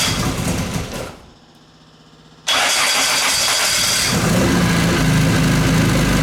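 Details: Classic Mini 1.3 track car after roller rocker replacement and correcting plug lead firing order: brief crank then even, steady idle with no valve tick; normal idle.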